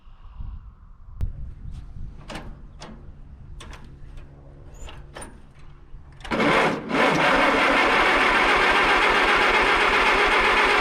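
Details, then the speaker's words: Allis Chalmers WD narrow-front tractor rescued from the bush, reportedly ran a couple of years ago: slow, even cranking chug with no firing because the ignition was left off. "I blew it I forgot to turn the ignition on stupid me I have to try that again"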